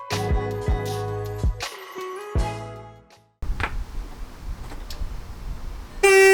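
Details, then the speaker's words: 2013 Jetta TDI stock horns before replacement with Hella horns: short honks with a thin single-note tone lacking the fuller twin-horn chord, because only one of the two original horns still works. "it sounds like it's only one side that's actually working so that's why we're changing it to have both sides working with these two"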